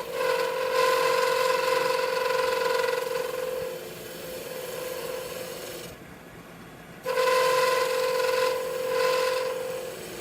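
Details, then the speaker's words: Wood lathe turning bottle stoppers: rough buzzing hum with steady ringing tone, tool chatter because the workpiece bolt wasn't pushed back into the chuck; seating it deeper against the jaws reduces shake. "what was that noise noise is chatter because i'm moving i should have moved this back into the chuck"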